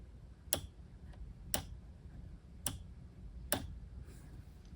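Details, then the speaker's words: Gray 5.25" floppy drive sent for repair, first power test, no data cable: four sharp ticks about a second apart over quiet hum, motor hopping irregularly; owner suspects inadequate power supply, unconfirmed. "Motor's hopping around a little bit. It's possible that this power supply doesn't have the right power."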